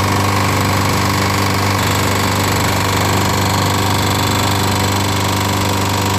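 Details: Free-pickup push lawnmower, run after a head gasket was made from Permatex red RTV silicone. Loud, harsh clatter with fast, uneven clicking; some smoke, no oil leak. Cause unclear, possibly leaking past the failed RTV head gasket.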